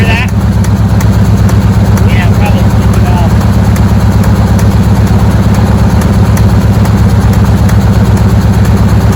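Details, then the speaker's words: Chevy squarebody with a 350 small-block Goodwrench replacement engine that may be using coolant: loud, steady V8 idle with a faint regular tick about three a second; owner suspects a sticky valve. "I think it's got a sticky valve can you hear"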